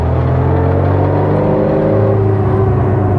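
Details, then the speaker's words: Restored 1960 Bugeye Sprite, 1275 engine, driving in first gear on a 45-degree day; faint even whine with gravelly clatter under the exhaust drone from the transmission; worn first gear. "underneath the exhaust, you should be able to hear that little bit of whine and clatter in first gear."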